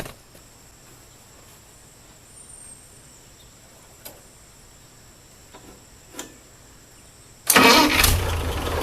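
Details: Ford 8N tractor after new battery, fuel and a wiring fix (one-wire alternator wrongly fed by a three-wire harness made it keep running): quiet at first, then cranks and catches quickly, settling into an even idle; a clean, healthy start.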